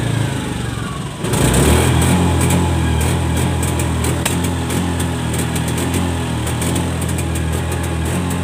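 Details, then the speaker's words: Honda Scoopy eSP scooter (2017-2018 on), held at full throttle: buzzing revs keep breaking up with uneven stumbles and won't climb past about 60-70 km/h; high-load stutter before throttle body service, sensor adjustment and FI reset. "Kalau digas satu kali dia langsung berebet, Guys."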